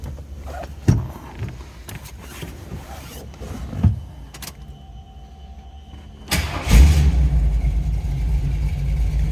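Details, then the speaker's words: 1979 Jeep CJ7 4x4 with 360 V8, started cold before warming up: clean crank and quick catch, then a deep, steady, even rumble at idle with no knocks; healthy engine that starts easily. "See, it starts easily. That 360 is going to have a little bit of a rumble."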